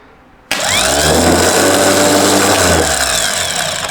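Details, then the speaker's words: Starter motor from a rebuilt BMW D190 marine engine, previously seized and sunk, bench-tested without its solenoid: snaps on, spins up to a smooth, steady whirr and winds down cleanly without carrying on much; free-spinning and healthy. "Doesn't even tend to carry on too much. No, it's pretty good actually."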